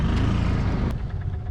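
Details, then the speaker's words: 1964 International pickup driving; engine drone sags and slows as if starving, dying. Not out of fuel; owner unsure whether fuel is getting through, and says the governor slows it down. Cause unconfirmed. "we need to figure out how to take the governor off this thing cuz it gets buggy and and then it slows itself down oh why you dying you're just doing so"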